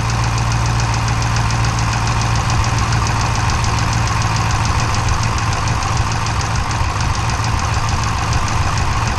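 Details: Dodge/Chrysler 392 V8 with 1400 miles, idling: sharp metallic knock repeating quickly and steadily, clattering like a diesel (Cummins-like); engine knock, cause unknown.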